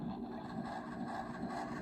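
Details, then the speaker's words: Vintage Tele Tone record player, motor running during repair: soft rhythmic thump two or three times a second as an out-of-round divot on the idler wheel passes and makes it jump; partly sanded, still bumping. "so there's a little bit of the divot still there so when the when the uh Arrow gets to that it's making it jump that's the noise you're hearing"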